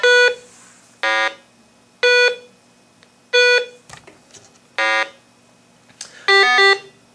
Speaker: So, you will hear a beep, blat for the missing LED, and then beep beep and then blat for the missing battery backup.